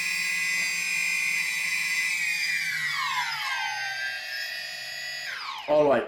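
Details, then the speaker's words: DJI Phantom Vision/Phantom 2 after T-Motor Antigravity motor conversion, speed increased from idle: high whine sweeps down then breaks off with dull thump; motors cut out at high throttle, issue seen only on Vision/Phantom 2. "want to make sure that you guys heard that uh that sort of thump uh the engine sort of cut off"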